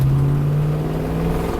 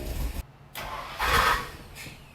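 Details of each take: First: Ford OBS Bronco, likely 302 with Performer 289 intake, after maintenance and camshaft adjustment set from 2 to 1: short throttle blip, firm steady low drone revving crisply without stumbling; runs much better than before. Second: OBS Ford Bronco with a starting issue, cranked after the starter cable was rewired so the starter is constantly hot: a brief rough grind as the starter engages, then the engine catches; a replacement starter mismatched to the transmission type grinding on the ring gear.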